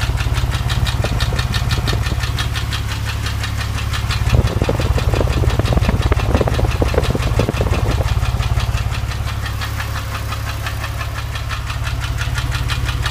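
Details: Porsche 997, warm engine held at 2000 rpm: a steady knocking rhythm of roughly three beats a second is heard; the owner is asking for ideas, and the source of the knock is still unknown.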